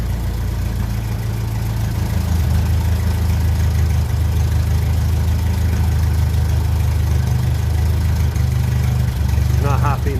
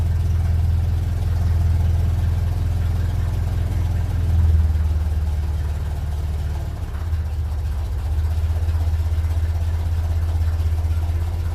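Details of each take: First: 1957 Ferguson 35 TVO tractor, damp engine: heavy low idle hunting and stumbling as the idle mixture screw is adjusted, won't run slow; possibly dirty idle jet, owner may flush the tank. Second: 1957 Ferguson 35 TVO tractor warming up, carburetor mixture screw being adjusted: slow, deep idle of roughly 500–600 rpm, now firing evenly on all cylinders; an undersized fan belt is heard screeching.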